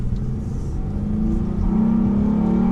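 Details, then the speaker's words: Honda Accord with 175,000 miles and new intake, pulling hard uphill: revs rise steadily, then the note hardens and climbs sharply as VTEC kicks in; healthy engine. "whoa you can really hear the VTEC kickin it's hilarious that is freaking hilarious"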